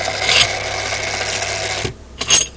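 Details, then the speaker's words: Daiwa DR-7500 antenna rotator (Kenpro KR-400 equivalent), refurbished and upgraded internals, quick drive to south end stop: even gear whir under two seconds, then clean stop with a light clack; normal run to end stop. "and there we are we had south that was quick so we just have a south there"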